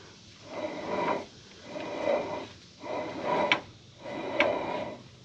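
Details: Worn front wheel unit bearing on a 2005+ Ford Super Duty axle, hub turned by hand: gritty, rasping growl swells with each turn. Old grease looked brown, possibly why it failed early; no ABS lights so far.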